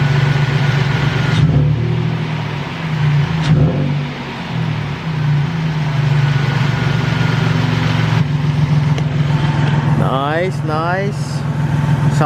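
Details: Toyota Tacoma after replacing the idler pulley behind a ticking/knocking noise: steady, even idle with a couple of light throttle blips and no ticking or knocking. Engine sounds healthy after the repair.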